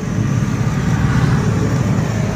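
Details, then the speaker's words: Four-stroke CNG auto rickshaw, fairly new, that died mid-ride; starter turns the engine over with rapid steady low chugging but it never fires; owner unsure whether the battery is drained or a sensor is at fault. "तर कर बाबा आवाज बघा चालूच होत नाही start करतोय पण काय होतंय काय माहिती इंजिन स्टार्ट होत नाहीये"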